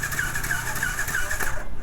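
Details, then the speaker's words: Yamaha R15 V2 that won't start, cranked on the electric starter during a finger-over-spark-plug-hole compression test, with no push felt. Fast, even starter whir with no compression drag: low compression, with leaking head intake/exhaust valves or piston rings named as causes. "Compressor नहीं है, गई भैंस पानी में। तो अभी हम लोग क्या करेंगे, कंप्रेसर के लिए क्या क्या प्रॉब्लम होता है पहले आपको बताता हूँ।"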